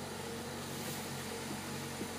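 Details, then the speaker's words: 2021 Mazda CX-9 with 2.5 L turbocharged engine at fast cold idle around 1500 rpm, door closed: a very quiet, even hum with no knocks, misses or hunting; normal smooth idle. "Sekarang kita coba Tutup pintunya nah ini seperti ini kondisi ketika idle up di 1500rpm"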